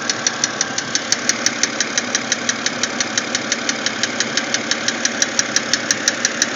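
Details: BMW X3 engine noise: sharp, very regular high ticking about three times a second over a quiet idle. Engine ticking at idle, cause not yet known.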